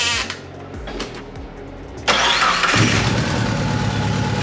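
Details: Mitsubishi Eclipse 3G turbo after a head gasket swap and power steering delete, with a failing camshaft sensor suspected; after a short crank it catches at once and settles into an even, steady idle with no misses.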